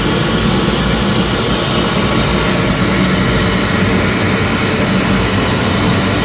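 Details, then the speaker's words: Midco gas burner being hot-wired on a Slant Fin Intrepid steam boiler, lit after 30-second pre-purge: constant heavy roar with low rumble, no pulsing yet; owner thinks it is way over-fired and expects bouncing soon. "i think this thing is way over fired so here we got a 30 second draw for ignition and you'll hear this thing fire off yeah i think that's over fire"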